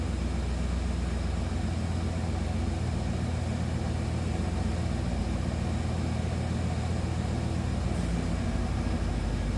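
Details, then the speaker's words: 1987 Chevrolet Monte Carlo SS Aerocoupe V8 at idle, about 40 years old: steady, even low rumble with no knocks or misses, sounds like a stock Monte SS; AC compressor, new with accumulator, kicks on and off. "Let's listen. Sounds like a stock Monte SS to me."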